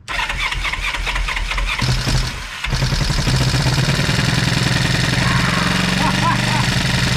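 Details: 1973 Honda CB350, sat outside 18 years, first bench start with throttle opened to clear it: after a few coughs catches and runs at an uneven, lumpy beat; ignition coil on one side not set.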